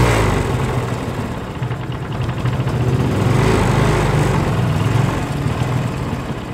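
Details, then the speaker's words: Kawasaki Rouser 135 that wouldn't start, running after fuel dripped into carburettor: single cylinder idles unevenly with irregular stumbling beat and dropped pulses; misfire, cause not yet confirmed. "yan makikita po natin diyan na medyo palyado palyado yung andar niya yan pero napaandar natin siya"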